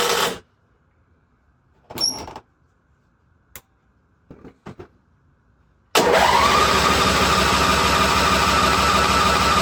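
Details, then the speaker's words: International Harvester Cub Cadet 1641 lawn tractor, unstarted about 10-15 years, fresh gas, dead battery aided by jump pack and charger: steady even whirring turnover, never fires; owner suspects no fuel getting through; crank no start, jump pack run down. "It's like it's not getting fuel. Yeah. So, it's it's run the battery pack down now."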